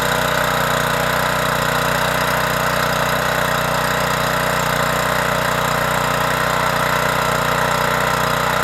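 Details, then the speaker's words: Troy-Bilt 2800 psi pressure washer after carburetor repair, connected to water with a 15-degree nozzle: steady, even small-engine drone at constant speed under pump load, no surging or hunting; running normally. "we have the pressure washer hooked up to the water and we put the number 15 general angle spout on the wand so let's fire it up and that's we're gonna go ahead and clean our concrete walk over there"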